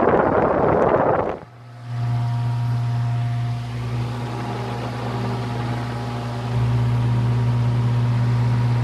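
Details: Late-1940s–50s Hunter CG-16 industrial fan, found weathered, after freeing and lubricating the oscillator mechanism: thump at switch-on, then smooth steady low hum without rattles or scraping; runs healthy.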